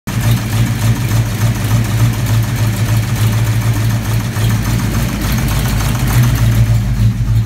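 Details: V8 first fire-up after timing rechecked (earlier popping badly): rough heavy idle with light quick ticking over the top; owner suspects a loose rocker arm, rocker or lifter hitting the valve cover, or a bad lifter, and plans to pull the valve covers.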